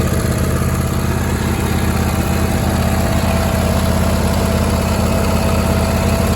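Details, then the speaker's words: John Deere D160 mower, unused for 2 years, with new plugs, filters and battery; it wouldn't start until the carburetor was cleaned. Now a steady idle with a regular low thrum, about 200 pulses a minute, no knocks or misses. "clean the carburetor now it starts and runs great"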